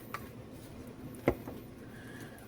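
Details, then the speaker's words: 2001 Gallagher M800 fence energizer after lightning-damage repair (weak 27µF main capacitor replaced, newer epoxy-filled transformer): faint sharp click about once a second, muffled by epoxy; normal pulsing, about 8,000 volts output. "But the epoxy can't let the sound escape out of it, so it muffles the sound. So it sounds like oh, that ain't very strong. I can barely hear that clicking."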